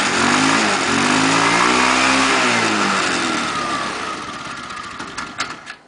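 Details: Scooter that would not start for five minutes, started by blowing into the fuel tank through a cardboard tube while pressing the starter: the engine fires and revs, pitch climbing then sagging over a steady rough beat, before winding down. Engine running.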